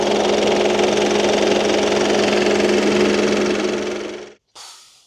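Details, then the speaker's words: 2012 Mitsubishi Outlander 2.2L 4N14 diesel, clutch in, neutral; steady metallic rattle about four knocks a second over the idle, stopping at shutoff; owner suspects the drive belt pulleys or failing alternator, possibly the gearbox; engine rattle at idle, source unconfirmed. "the drive belt pulleys. I'm hoping. Otherwise, it might be the gearbox, which is going to be real tricky."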